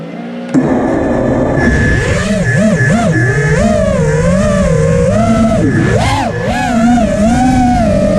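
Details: Emax LS2206 2300kv motor running with a high whining tone that rises and falls with throttle and has a rough warbling edge; the owner suspects a bad bearing, not confirmed.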